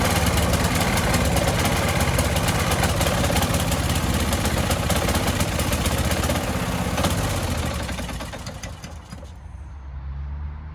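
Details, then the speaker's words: Old petrol lawnmower that starts and then stalls: the small engine runs with a quick steady beat for about eight seconds, then sags and dies. Fuel starvation, likely from a clogged carburetor jet. "So I brought out the petrol lawnmower, and now it doesn't work. It starts, and then it stalls."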